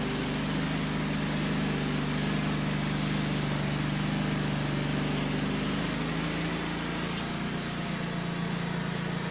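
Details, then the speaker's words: Petrol engine on a Wood-Mizer LT15 sawmill, under load while sawing a beech log, hunts and sputters with revs going up and down and sagging; a recurring problem of unknown cause. "We've had troubles with it the last few times, sputtering, and you hear it going up and down in the background."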